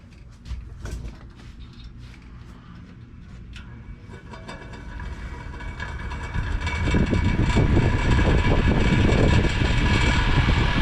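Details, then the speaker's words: Lasko 5210 fan after cleaning, first power-up: fan spins up into rising whoosh of air over loose regular clatter about three beats a second, blamed on a loose motor armature. "All that noise is the loose armature."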